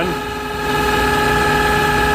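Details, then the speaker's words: Smithy AutoMate CNC LT1440 lathe, 2 years old, about 800 spindle hours, before spindle replacement, about 83 dB, sped from 1800 toward 2500 rpm; loud steady whine with sharp high tones over rumble; old spindle bearings rough, worn. "Let's speed it up, see if I can get up to 25. Not much difference in sound, just a higher pitch whine."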